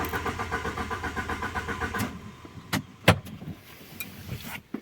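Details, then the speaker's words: Alfa Romeo 147 Twin Spark eco, 105 hp, died suddenly while driving, no fault codes: starter cranks evenly about five beats a second for two seconds, engine never fires; no fuel, dead fuel pump. "So it cranks and it does not start, and the car was doing a trip, and all of a sudden stopped, and it does not start, okay?"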